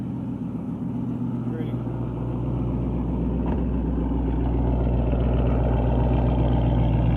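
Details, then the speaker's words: 2012 Mustang GT Coyote V8, 192,000 miles, knock for two months, hesitates, stalled at 40 mph: steady idle with regular knock about four a second from the bottom end, louder on acceleration, returns when hot; owner suspects rod knock, cause undiagnosed. "Noise is coming from the bottom. Might be a rod knob. Every time I accelerate, it gets louder."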